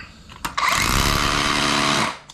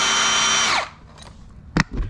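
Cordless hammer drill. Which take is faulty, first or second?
second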